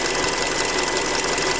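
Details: Hyundai Creta at 40,000 km, before an oil change. Fast, dry ticking clatter over the idle at a constant rate, unpleasant when cold; louder than on the factory 0W oil. Cause suspected, not confirmed.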